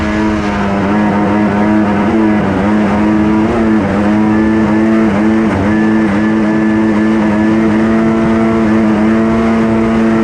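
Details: Kawasaki 1100 triple two-stroke in a single-seat aluminum mini jet boat, compression raised: loud drone on the water with pitch dips every second or two, popping from the rear and running rough; compression check planned.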